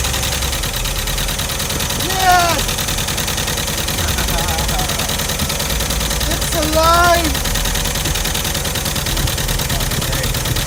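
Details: VW Vanagon Westfalia restarted after a week of attempts, with new spark plugs, fresh gas and injector connectors refitted; steady, even idle with regular low pulse, no misses or knocks. Normal idle.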